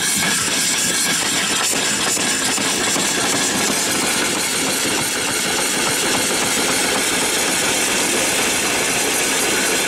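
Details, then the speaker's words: Erie steam engine running on boiler steam after the water was drained from it: steady steam hiss with an even, unbroken running beat and no knocks or stumbling; it runs well. "foreign it runs good there"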